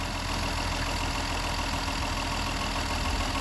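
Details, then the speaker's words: Mercedes M130 engine with mechanical fuel injection pump, about 4 minutes after start, not fully warm: smooth even idle dropped to about 800 rpm, no misses or knocks; normal warm-up idle. "it still idles down just a bit cuz it's not fully warm yet it's pretty much getting there though so it's definitely doing what it's supposed to be doing"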